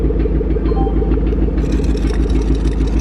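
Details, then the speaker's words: 2012 Ford Mustang Shelby GT500 at idle/light throttle: engine itself sounds okay but a loose, uneven pulsing rattle about twice a second comes from underneath; a diagnostic code later points to the catalytic converter. "Oh no, dude, the engine sounds okay. It sounds like something coming from the bottom, transmission, exhaust, somewhere around there. It sounds loose."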